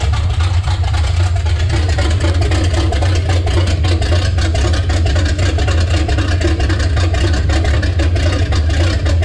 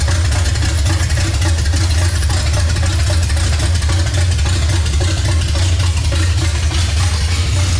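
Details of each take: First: Chevy C10 with a revived 350 V8 replacing the 327, first run in 6 years: deep even V8 burble with no knocks or misses, running well, though the owner is unhappy with an oil problem near the valve cover. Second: Chevrolet C10 with revived 350 V8, first start after sitting years, timing advanced slightly without timing light: deep rumble settling to steady, slightly lumpy idle; ignition timing off.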